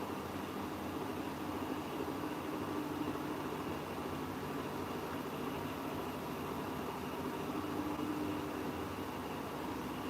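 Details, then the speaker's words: Siemens washing machine on Eco 40-60 with a full 8.35 kg load of coloureds, in a long high spin: steady even drum rush, faint motor tone drifting up and down, no knocking or scraping; normal spin cycle. "Wow. It's actually doing quite a long in spin as well. Surprised, but that might mean it's only going to do a lower end."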